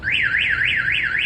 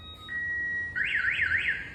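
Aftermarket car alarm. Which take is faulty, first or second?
first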